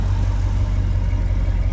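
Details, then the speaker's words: Squarebody Chevy dually V8 after replacing a badly failed HEI distributor: steady, even idle with smooth low rumble and no misses, ticks or stumbles; now starts and runs healthy. "And it sounds good, which is awesome. Mint."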